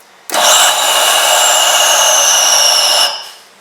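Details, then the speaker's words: Anglian Dental filter maintenance on Belmont chair, weekly filter cleaning: button pressed and held 5–6 seconds gives steady hissing suction rush that fades; normal suction flush. "You should press and hold for about 5 to 6 seconds and you hear that sucking noise."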